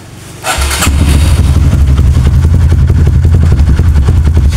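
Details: Kawasaki KLX single restarted during a charging check, battery 13.1 V with key off, no current leak found: fires at once into a steady, even idle with a smooth low thump and no misses; voltage dips then recovers, charging judged fine.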